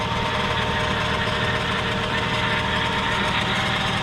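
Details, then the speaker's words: 1999 Lexus LS400 V8, well maintained, at idle: steady high whine over smooth idle that does not change; power steering pump, owner guesses low fluid from a leak. Engine oil clean, no blow-by. Cause suspected, not confirmed. "hear a power steering leak i'm guessing it's low on fluid other than that though no issues"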